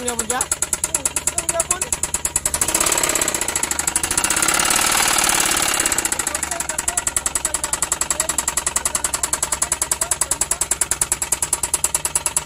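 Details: Suzuki K6A engine: sharp metallic knock repeating about three and a half times a second at idle, steady throughout; piston knock, with a damaged cylinder liner and broken piston found on teardown.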